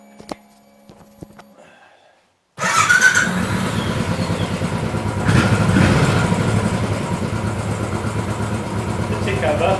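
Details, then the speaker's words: Royal Enfield Bullet/Classic 500 EFI single after the MAP sensor vacuum pipe was cut and sealed with a bolt (rockers and pushrod tubes already new): an even, steady tickover with no hunting; the earlier clunking and uneven idle are gone. "the clunking noise is gone and it's constant to cover straight away"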